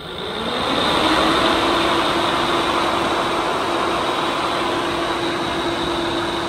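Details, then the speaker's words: Factory OEM radiator fan from a KRX 1000, about 1500 miles, bench-run on a 12 V supply drawing about 10 amps: loud fan drone with a constant hum and a high whine, rough and noisy; worn fan motor the owner expects to fail soon. "You can see it's pulling about 10 amps and it's fairly noisy."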